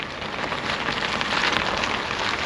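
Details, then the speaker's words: Land Rover LR3 after replacing front left driveshaft (clicked in hard turns, worn CV bearing), raised suspension, right turn test: only steady tire hiss, no clicking or popping; front CV joint healthy. "You only hear the noise from the tires, and that's it. There is absolutely no clicks, no nothing."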